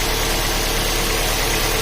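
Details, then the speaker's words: 2012 Ford Fusion after replacing the bad idler pulley: a steady, even idle with no chirp, squeal or rattle from the belt drive. The earlier noise is gone. Normal idle. "noise is gone so it was that idle and pulley that was bad"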